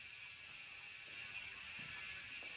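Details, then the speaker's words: Mountain bike rear freehub after greasing it to reduce the noise, rear wheel coasting on the stand: fast, light, even clicking, softer and quieter than before but still a little noisy. Normal freehub ticking. "And now we'll go back on this side so I can show you there's no magic. It's just still a little noisy."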